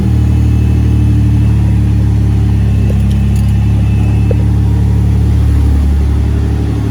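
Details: 1981 DeLorean DMC-12 just after installing a modern in-tank fuel pump with new lines: engine catches and holds a smooth, deep, even idle with a steady low drone, no misses or knocks; running normally.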